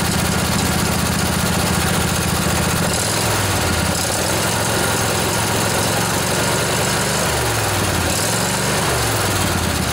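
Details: Revived junkyard Briggs & Stratton Intek OHV twin, 20–22 hp, model 40777, in a Husqvarna riding mower, with a new carburetor: loud, steady putter, speed wandering slightly up and down; fires cleanly and idles normally.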